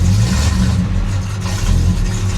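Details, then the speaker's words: Dodge Dart Swinger 340 V8, cold start and blipping with the choke not yet open. Lumpy, uneven, rough burble that is expected to smooth out once the choke opens; otherwise it sounds healthy. "a little rough going to need that choke to open up there it sounds great"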